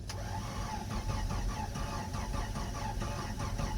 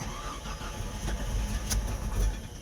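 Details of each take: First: Jeep Comanche with automatic and transfer case, towed in with driveline disconnected: starter spins evenly, about five compression beats a second, never fires. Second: Comanche after hooking up a wiring loom behind the bumper: starter churns a couple of seconds, then engine fires and builds to a steady run; starts fine now.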